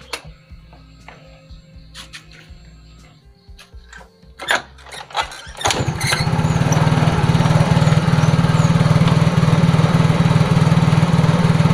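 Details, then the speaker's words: Yamaha Mio J scooter won't drop to low idle after starting, holding a fast steady putter and revving higher when throttled; TPS sensor to be checked. "enggak jadi dia di gas malah ngebut dan malah kalau ditambah gas lagi RPM tinggi dia malah nambah gas lagi ia tidak mau langsam dan menambah kecepatan"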